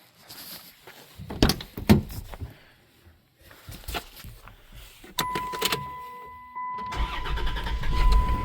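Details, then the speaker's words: 1991 Dodge Grand Caravan SE, revived after sitting since 2003, just after installing new muffler exhaust kit: a few clicks and steady fuel pump hum, then engine catches and settles into quiet, even, healthy idle. "Oh, that's nice and quiet. You can hear the fuel pump running now. Listen to that. Hey, that's nice and quiet."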